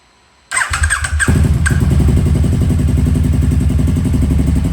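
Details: KTM RC8R with a swapped-in 2020+ 1290 Super Duke twin engine and electronics, wrecked bike not run in about two years, first start: short starter whir, catches within a second, settles into an even, lumpy, healthy twin-cylinder idle.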